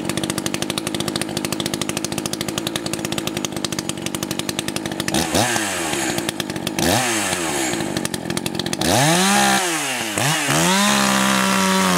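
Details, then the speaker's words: Echo CS 590 chainsaw, high-speed screw turned in about 1/8 turn after running rich for break-in: full-throttle scream, blips down and back, clears fast without burble; leaning the high caused low-end hesitation, so low opened slightly. "Spot on, and if you noticed, when I leaned out the high, it does somewhat affect the low. There was hesitation, so I had to open the low up again just a little bit."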